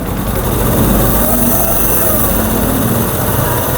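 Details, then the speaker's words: Honda CD70 after repair of broken gears that caused 1st-gear clatter and 3rd-gear rubbing: in gear with clutch and brake loading it, the small single holds a steady even beat with no whine or grinding; gearbox now normal. "देखें gear लगा के break दबा रहे हैं। तो कोई आवाज नहीं है। बिल्कुल ठीक है।"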